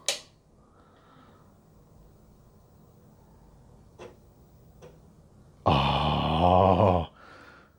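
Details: Commodore Amiga 500, Kickstart 1.3, first power-on after about 10 years in storage: sharp power-on click, faint ticks, then loud second-long floppy drive whirr and clatter; drive seeking normally, then asks for Workbench.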